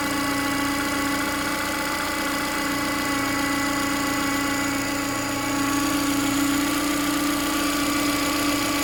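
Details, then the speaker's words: Ford Fiesta 1.2 engine, just started after sitting, idling: steady piercing mid-pitched whine over smooth idle; abnormal engine whine, timing belt suspected, not confirmed. "okay can you hear that sounds like a whining definitely definitely should be doing that"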